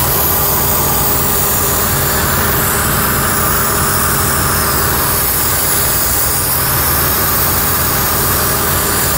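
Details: Ford Taurus 3rd gen 3.0 Duratec 24v at idle: constant airy hiss from a large vacuum leak in a collapsed, clogged 90-degree PCV elbow hose under the throttle body; hose replacement fixed it.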